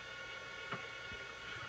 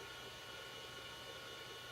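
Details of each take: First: Old Amiga A590 hard drive, described as 20 to 30 years old, at power-on. Steady spin-up whirr with irregular clicks about every half second; odd startup noise, cause unknown, though it then boots successfully from the hard drive. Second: Old Amiga A590 hard drive, about 30 years old, after defining a custom drive table and reformatting. A quiet, steady whir with fine even tones and no scraping, clicking or wobble; the drive now starts up and runs very smoothly.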